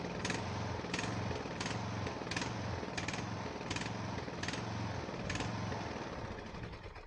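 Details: Ariens 42" geared riding mower, 17.5 hp Briggs & Stratton (engine 31C707-3346-G5), Nikki carburetor, neglected and sitting outdoors; first start, throttle at rabbit, smoking heavily; uneven low chug with irregular crack over wavering idle, rough running, owner suspects old gas.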